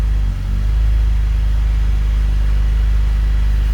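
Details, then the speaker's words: BMW E39 528i (M52TU/M54) before VANOS seal replacement: deep idle with uneven, lumpy pulse and slight stumbles, rough idle from completely worn dual VANOS seals, also causing hesitation pulling away. "Some of the symptoms you're going to have are going to be a poor idle. You'll see it here in a minute. There you go. So you're getting a rough idle."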